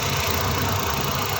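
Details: Suzuki DA64 with K6A engine after a cylinder 1 misfire check-engine code traced to leaking ignition current and repaired: even, steady idle with a smooth low hum and no stumble or skipped beats.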